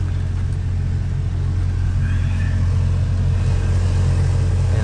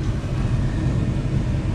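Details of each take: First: Car AC blower motor in the lower glovebox area at full speed: deep, steady drone with an uneven throb and slight vibration, from debris accumulated inside the blower making it unbalanced; the fix is cleaning it. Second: Car cabin blower motor behind the glovebox after repair and reinstallation: steady smooth low hum, much quieter with less vibration than before, no rattling or scraping.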